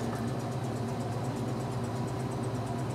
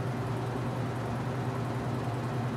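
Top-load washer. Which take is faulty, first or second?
first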